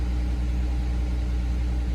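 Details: 2005 Acura MDX after replacing a burnt-out 15 A fuse that caused a crank-but-no-start: smooth, even low idle hum with a steady beat and no misses or knocks; the engine now starts and runs normally.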